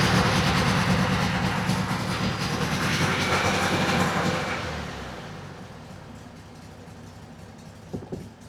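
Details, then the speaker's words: 1967 VW Beetle flat-four barn find, off the road 46 years, cold on choke with untuned carburettor, now fed from the tank instead of a gas can: rough low chugging picks up, runs, then settles quieter. "I have no idea where the idle will rest now that it's not running off a gas can, but it's on choke."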